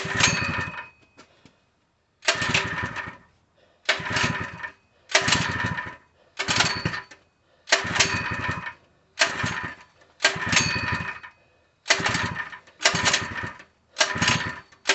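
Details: Open-box Harbor Freight 3HP small engine (SKU869733), full of oil and fueled, repeatedly recoil-pulled: about a dozen hard rasping cranks with no firing. It won't start; it gagged once with gas poured into the carb, so the owner suspects fuel delivery.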